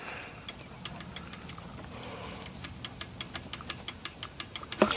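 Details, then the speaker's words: Suzuki Quadrunner 250 ATV that won't start after a Mikuni-to-Keihin PZ27 clone carburetor swap, engine turned slowly by hand: crisp light ticks about 4–5 a second mean intake valve lash is loose enough; the exhaust valve seemed too tight. "hear that sound that means the intake valve is loose enough"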